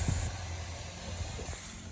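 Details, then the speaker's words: Vehicle idling about 10 minutes, air pressure holding higher than before: steady high thin hiss over low rumble, air still leaking from the top of a poorly pressed-down JB Weld repair on the air system. "Air pressure's holding higher than it used to. You can hear a little hissing still, so I'm going to investigate. Oh, that's not sounding good. Yeah, she's still hissing a little bit."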